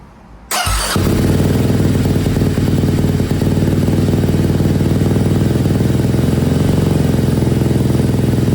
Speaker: All right, I don't want to risk anything, but that sounded really good.